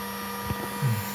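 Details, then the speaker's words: GPNI 2.2 kW 220 V three-phase ER20 800 Hz 24,000 rpm spindle on a Fuling DZB300 inverter, test run after parameter setup: steady clean high whine, even pitch, no roughness or rattle; normal spindle run. "Izinkan saya menjalankannya agar Anda dapat melihat betapa lancarnya prosesnya."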